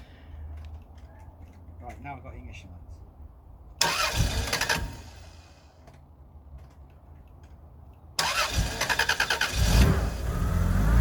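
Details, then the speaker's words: Rover 800 that has stood unused for years, on a newly connected battery: two bursts of fast even cranking, each a few seconds long, never catches. No proper ignition lights and it cuts out; it later ran on a small bit of fuel. "I'm not getting any proper ignition lights okay it cuts back out"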